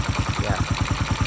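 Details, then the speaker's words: 1995 Honda Win C100 motorcycle, first run after engine restoration, at idle with a local aftermarket muffler: crisp evenly spaced thumps at about ten per second with no misfires or valve tapping; very nice idle credited to a good valve job. "You can see that the engine have a very nice idle speed because of I just done a good valve"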